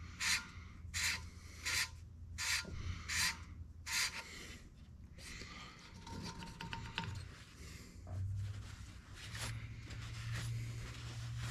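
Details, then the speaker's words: 454 big block head, valve lapped with fresh compound: gritty rasping strokes about 80 a minute, easing toward a smoother sound; valve lapping grit sound. "Yeah, you can kind of hear how gritty that is when you first start. And it'll smooth out as we go."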